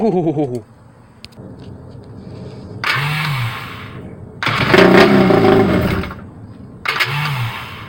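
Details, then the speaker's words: Rebuilt jet ski engine, first start after carbs cleaned and longer correct spark plugs fitted; crank bearings noted slightly worn: very loud, crisp bursts on throttle blips, clean pickup, no knocking; normal running. "that's so loud I can tell you right now guys this ain't no cat or dog this thing sounds like it's about ready to jump off the trailer"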